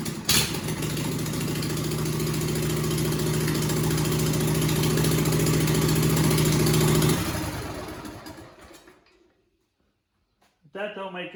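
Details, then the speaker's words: Loud, raspy single-cylinder bark with no muffler, steady speed then shut off, from the Suzuki-powered John Deere "Frankenstein" outboard before the muffler is fitted; loud exhaust without muffler. "We got to quiet this thing down. It's loud. I want to put the muffler on it, and then we're going to address the wiring."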